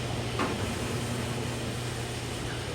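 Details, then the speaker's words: Garage door opener running after the 20-year-old original rollers were replaced with Dura-Lift sealed-bearing rollers. Steady low shaft-drive drone with no roller squeaks. "And you can hear the shaft drive, but I don't hear the squeakiness of the wheels."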